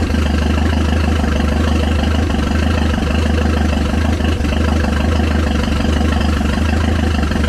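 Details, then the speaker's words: Chrysler LeBaron, warm: it starts much more easily and settles into a loud, steady idle with a slight cam lope and open exhaust; runs evenly and sounds healthy. "definitely not mad about that it started a lot better that time"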